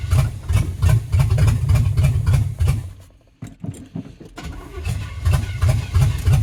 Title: 305 Chevy hard starting